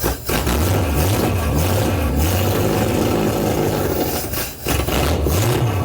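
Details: Debonair engine under restoration, cold, no choke yet: catches and stumbles unevenly, revs surging and sagging with dropouts, struggling to keep running; runs well once choke is applied.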